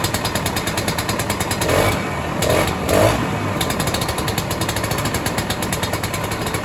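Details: 1967 Ski-Doo Alpine twin-track snowmobile, two-stroke, sat many years, now on its own fuel, about 75°F: rapid, even popping idle with one brief louder surge; holds steady idle, barely needs choke, running much better.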